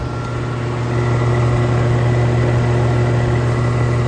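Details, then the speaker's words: Outdoor AC condenser with a Copeland scroll compressor and ProTech fan motor, built June 2016, at spring startup around 60°F: steady low hum with a fast, uneven rattle about four per second, as it always does, while cooling slowly. "rattling as it does I'm not gonna lie it's actually getting cold a little bit not not as quickly as this one but it's good in there fabricated June of 2016."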